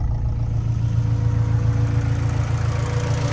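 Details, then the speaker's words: Hatchback engine after cam seal and timing work, nearly warmed up with AFR in the 14s: deep, even idle with no ticking or stumble; normal warm idle. "Alright, she's just about warmed up, pretty close. I can tell because AFR now is in the 14s."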